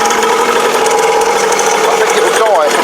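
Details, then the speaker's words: Cheap kids' motocross bike on a cold day, cold engine on choke: quick, slightly uneven idle putter; running fine. "anyway as you can hear I've got this little bike ticking over it's un choke"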